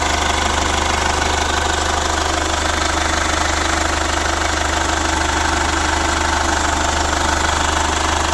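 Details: Chevrolet Captiva FL diesel, revived after sitting 6 years, supply pump repaired, no exhaust fitted: loud, open diesel clatter at a steady idle of about three beats a second, harsh but even and running properly.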